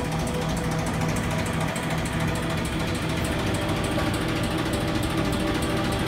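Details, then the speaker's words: Original Wayne 60 gas pump, unused for over 40 years and freed up with penetrating spray, switched on to idle without dispensing: steady low hum with soft even churn, no knocking or binding; runs smoothly. "I am now going to turn the pump on so it will idle without pumping. Hear the pump running."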